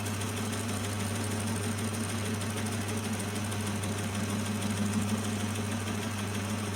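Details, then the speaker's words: Lathe with a homemade milling jig machining steel angle. A constant motor hum under a rough, chattering cut, about three beats a second, as the tool hits an old bolt stuck in the workpiece. "There's actually, that noise you can hear, there's an old bolt stuck in there, so I'm just machining that off as"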